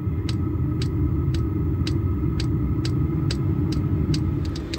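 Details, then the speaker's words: VEVOR 8kW diesel air heater in an M35A2/M109A3 camper truck, on high and ramping up after ignition: steady low fan roar, faint whine and an even soft fuel-pump tick about twice a second; running normally. "can hear the pump pumping starting to ramp up it's not blowing out a lot yet"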